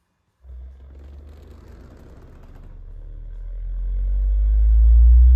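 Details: JBL L19 speaker, 116a woofer driven by a signal generator sweep: raspy buzz appears at about 100 Hz and below; traced to a loose lead wire rubbing the cone.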